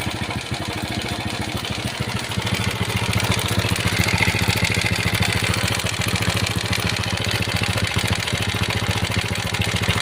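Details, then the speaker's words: Honda Supra Pit X/New (2000s) small motorcycle engine idling and revving with a rough, busy metallic rattle; owner reported very rough noise; opening the chain cover confirmed the long, stretched timing chain as the cause, to be replaced with a new chain. "Ternyata benar memang rantai timing ini yang menjadi penyebab suara kasar tadi."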